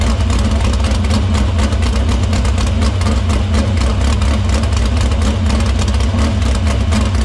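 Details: Dirt Silver Crown race car at a smooth idle in the shop after a fuel line fix, filter cleaning and fuel routed through the pump and main lines to the barrel valve. A steady, even low rumble with no knocks or misses. Fuel system checks out: normal running.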